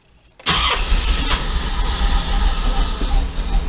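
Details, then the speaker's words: 1994 Corvette LT1 found abused in a field, running rough after Seafoam, won't idle and dies on throttle: lumpy uneven low chuffing like a misfire; owner suspects fuel filter, plugs, Opti-Spark or injectors, unconfirmed. "that's how it's running it's it's like it's choking for fuel and this thing was running great before I put the seafoam in it"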